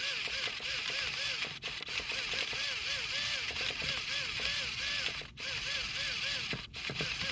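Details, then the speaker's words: Traxxas Revo 3.3 nitro engine after a fresh rebuild: the starter whirs, rising and sagging about three times a second, struggling to crank without firing; owner suspects the one-way bearing. "I think it might be my one-way bearing. Let me know, guys, down below if you think this is my one-way bearing. I can hear it turning over, but it seems like it's kind of struggling to actually turn the engine over."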